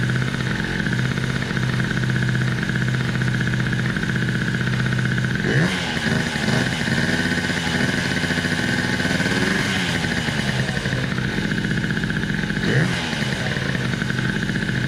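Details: Scooter with newly fitted TWH black manifold and refurbished SWR 28mm carburetor: steady buzzing idle rising cleanly with quick throttle blips and settling back evenly; throttle response improved; normal idle and revving.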